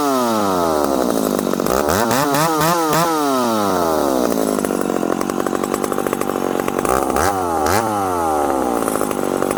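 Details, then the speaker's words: Ported full-house McCulloch Super Pro 70 (70cc) chainsaw, 32-inch bar, tuned for more rpm, in not-easy-cutting wood: screams freely, then pitch sags and drags each time buried in the wood; bogs, lacks pull versus an 850, cause unclear. "this is a 70cc saw uh it's turned up to be a little bit more zippy it doesn't have the pull of the 850 it just doesn't"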